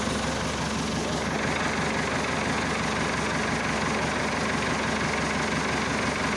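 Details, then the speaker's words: Massey Ferguson Super 90 diesel tractor just after replacing a faulty negative ground cable that caused slow cranking and no-start; fixed and held at cold idle, not revved. Old diesel clattering at a steady low idle, firing even with no misses or knocks; normal cold idle. "Well, now she's fixed, I'm happy to say. She's still in idle cuz you can't rev up a cold engine."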